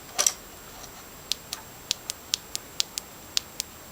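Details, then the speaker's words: 1999 GMC Yukon spider fuel injector assembly removed from the engine, bench-tested on 9 volts in a quiet room: sharp, crisp clicks at roughly two or three a second, each snapping cleanly; the injector is engaging properly. "you hear that clicking noise that means that it's engaging"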